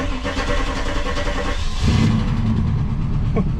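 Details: 1995 Impala SS started after installing a new in-tank fuel pump with new wiring and plug, fuel level low: starter turns briefly, engine catches and settles into steady low rumble; pump works, clean healthy start.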